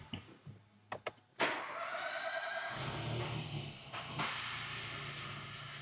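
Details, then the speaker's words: Ford EcoBoost, first start after rebuild with oil pressure primed before connecting coil packs: a few clicks, then it fires straight into a smooth, even idle with no stumble or knock. "Look at that. Perfect, sounding like a little singer."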